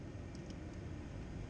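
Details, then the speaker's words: Chevy G20 van heater blower fan after blower motor repair, key on in heat mode: soft, even airy rush with no whine, rattle or ticking; fan runs smoothly and quietly on low and high, normal operation. "got the key on got it in heat mode there you go she's blowing nice and quiet"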